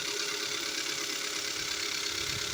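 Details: 2015 Kia Soul at idle with a light, quick ticking knock that speeds up with revs; diagnosed as pistons slapping and scoring the cylinder walls, with engine replacement covered by warranty.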